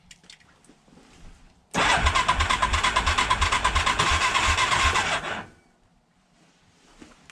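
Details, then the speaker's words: 1987 Big Bear 350 4x4 ATV, warm compression test reading only 65–70 PSI: quick, very even cranking beats near three per second for about four seconds with no firing; low compression, explaining why it needs choke to run. "well not what I expected there 65 70 PSI compression test what also explains why it has to run on joke have to keep riching it out"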